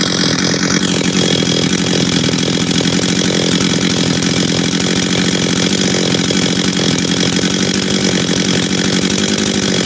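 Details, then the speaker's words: Husqvarna 385 chainsaw after assembly, first start and early heat cycles: steady high two-stroke buzz holding an even note without misses or sputter, sounds good and idles good. Finding: normal running. "work sounds good idles good good"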